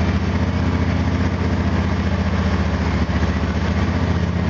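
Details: Engine after spark plug gap increased about 20%, checked on exhaust gas analyzer: steady, even low idle with smooth unbroken rhythm, no misses or stumbles; runs smoother than before the adjustment, when it cut out and hesitated.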